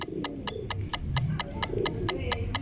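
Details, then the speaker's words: Motorcycle with a failing dry battery that still measures over 12.5 V (13.82 V), before repair; ignition on, it won't crank. Rapid dry relay clicking about four per second with no cranking: the battery can't hold up under load. "Coba kita lihat saya hidupkan kontaknya di sini tidak hidup sama sekali sedangkan di bagian relay ini terdengar suara cetik cetik ya"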